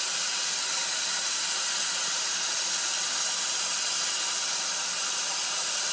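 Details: Ford 6.0 Powerstroke diesel, no start when hot, injection pressure not building: stethoscope microphone at an injector base picks up a steady high hiss with no rhythm and little low end; leaking injector seal.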